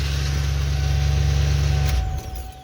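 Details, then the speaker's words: 1996 Ford F150 5.8L gas after starter replacement: steady low idle, then clean wind-down at shutdown with no grinding or clatter and without the noise the old starter made; starter sounds healthier, normal idle and shutdown. "nope seems like it's uh you can i can definitely tell this starter sounds a lot healthier than the other one"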